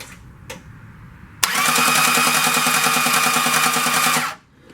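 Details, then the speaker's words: 1991 Dodge D150 318 TBI, freshly overhauled and reinstalled, turned over before first start after oil priming: harsh rhythmic metallic scraping. Owner hopes it is the dust shield hitting the torque converter bolts; unconfirmed. "so i turned the motor over and as i turned the motor over it made a funny noise i'll let you listen to it"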